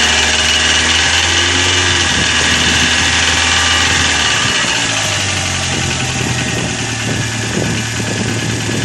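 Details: Corsa engine at steady idle with a fast light ticking of about three a second, from hydraulic lifters slow to fill because of a dirty oil pickup in the sump.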